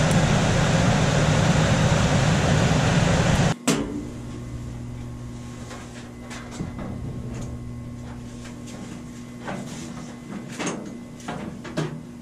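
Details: Coleman DGAX056BDTA manufactured-home furnace, constant-torque ECM blower after 24-volt tap moved from high to a lower (yellow) setting: loud rushing airflow drops to much softer steady hum with a few light clicks; normal quiet blower.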